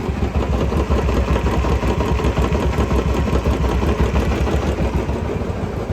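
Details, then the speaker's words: Royal Enfield Classic 350 after head repair for a tik-tik top-end noise: starts on half a kick and idles with a steady single-cylinder thump, no ticking. Normal idle, noise gone. "Half kick में गाड़ी start और sound बिल्कुल बंद sound"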